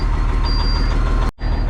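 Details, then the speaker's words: Cabover truck with a 60 series diesel, first start after a fire rebuild: a deep, steady idle with an even low rumble and no knocks or misses, left idling to warm up; the check engine light is likely on due to unconnected parts. "Oh, that sounds better. That Wiper's already trying to move over there. Oh, hey, look at that. Let's just let her idle away and uh warm up."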